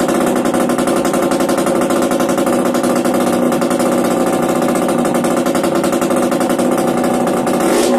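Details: Yamaha DTR 125 two-stroke with engine from a 2007 electric-start bike, first start after fitting unrestricted Gilera SC CDI, new seals, 240 main jet, powervalve fully open, Big One exhaust; crisp even buzz holding steady with quick rev blips, no misfire or rattle: normal two-stroke running.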